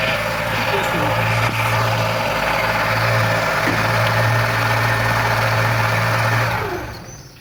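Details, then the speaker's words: Steady, even engine run with a smooth low drone and no knocks or squeals, then shut-off, after new timing belt, bearings and V-belt with timing marks aligned; normal running. "Evet şu anda Sistem çalışıyor Herhangi bir problem yok Allah'a şükür"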